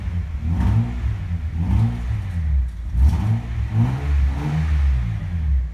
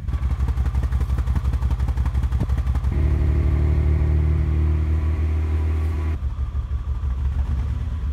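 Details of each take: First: 1988 Acura Legend Honda V6, sat for 10 years, after new rebuilt OEM fuel injectors; it would barely rev before: deep smooth blips rise and fall cleanly about once a second, engine picks up and drops back freely. Normal revving. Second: 1988 Acura Legend Honda V6, sat 10 years, already given new fuel pump, ECU, cap, rotor, plug wires and fuel filter: idles unevenly and labours on blips, rising reluctantly and falling back; rough running from clogged fuel injectors, before installing rebuilt OEM injectors.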